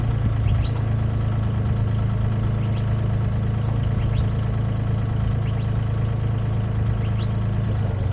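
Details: Used Komatsu PC10-3 mini excavator diesel at low idle, set just high enough to keep the battery charging: a low, steady rumble with an even beat and no knocks or misses; normal idle.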